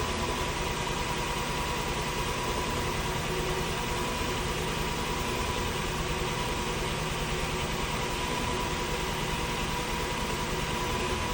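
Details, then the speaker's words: 2002 Lexus LS430 started after VVT work, power steering fluid low; it runs immediately rough with an uneven, lumpy undertone and the check VSC light comes on. The code is not yet read and the cause is unknown. "So immediately it's running rough, and I got the check VSC light right away immediately."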